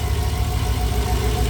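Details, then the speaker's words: 1964 Chevrolet Biscayne, first start in over 50 years, running on 102 fuel and needing tuning: steady low idle with the lifter tick gone (likely exhaust leak and/or lifters pumping up), slightly rough, faint whine; noisy aftermarket fuel pump. "I do believe it was just an exhaust leak and or took a minute for the lifters to pump up because like I said, this hasn't run in a long time."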